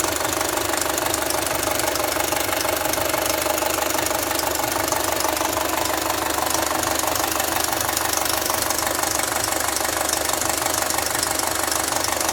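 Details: Audi A4 B6 2.0L FSI AWA engine at 264,000 km idling: constant metallic rattle about two beats a second from cylinder head; stretched timing chain and worn camshaft phaser, fixed by replacing chain, tensioner and phaser.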